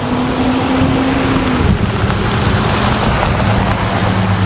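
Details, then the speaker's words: 2004 Chevy Silverado 1500 4WD V6, bought cheaply, fires right up: a steady, even low hum with no knocks or misses under heavy wind and rain noise; smooth, healthy idle. "That's good and healthy."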